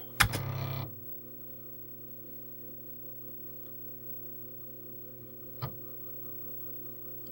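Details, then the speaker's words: Commodore 128D internal floppy drive formatting a high-density 5.25" disk that failed several earlier attempts: steady motor hum with a few sharp head-step clicks seconds apart; format appears successful. "there's the clicking so it's probably going to be a successful format about that seems to be working fine"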